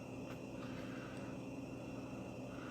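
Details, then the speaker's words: Whirlpool WRF989SDAM00 refrigerator Embraco inverter compressor, drive frequency changed to minimum speed: low steady hum with faint constant tones, no knocks or rattles; running normally at minimum speed. "we've changed the frequency we've changed the speed of the compressor I can hear that it's truly running at minimum speed"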